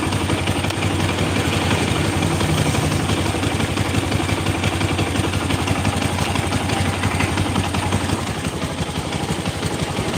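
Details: Rough engine with loud fast tek-tek ticking over a steady idle, roughly three beats a second, from inside the engine; cause suspected, not confirmed; engine ticking noise.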